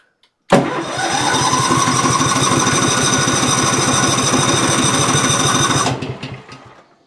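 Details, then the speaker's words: Cub Cadet XT2 mower with an MTD PowerMore fuel-injected V-twin that runs rough, cranked with only the suspect cylinder connected: steady cranking at about four pulses a second for five seconds, no firing. Spark, fuel or compression suspected. Cranks but will not start. "Absolutely nothing. That means that this cylinder either isn't getting spark or it isn't getting fuel or it has no compression. There's something going on on this side."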